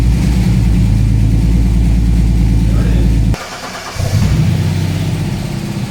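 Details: TVR 290S on MS2 (Megasquirt) engine management with TFI black CCD ignition module and wrapped manifolds, after months of trying: starts well, runs strong and steady, brief dip then quick pickup, idles evenly, revs freely without stumbling; normal start and free revving, though more tuning is still needed.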